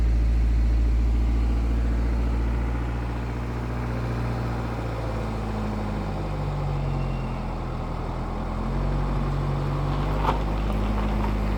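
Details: BMW 420d with B47 diesel, cold engine warming up: a fine metallic timing chain rattle rides over the low engine drone. The chain is barely audible once the oil reaches 100 °C.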